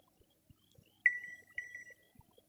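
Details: AC indoor unit powered on after cleaning and servicing: clean high-pitched beep then a second one over near silence; normal power-on chime.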